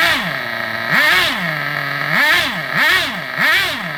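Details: Vintage Traxxas nitro RC buggy on the bench: high, buzzy little engine swings up and down in pitch about once a second as it revs, picking up cleanly each time; running normally.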